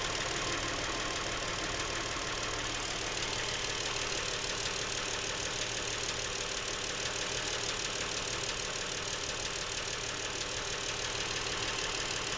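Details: Brand new Lincoln MKX with 7,000 miles, at idle; fast even light knock about three per second, apparently from the back of the engine, present since new and worsening; dealer could not hear it and calls it normal. Engine ticking at idle, cause unknown.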